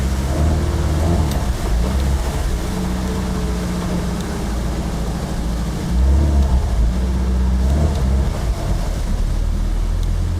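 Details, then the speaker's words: 1974 VIP 15-ft tri-hull with MerCruiser 3.0, new Pertronix coil and distributor module, rebuilt carburetor, on the lake under load at about 2,000 rpm: uneven, spitting rumble that pops and stumbles after a few seconds; owner suspects fuel starvation, float level. "It's popping after a few seconds of trying to run up at about 2,000 RPM. It's like it's running out of fuel."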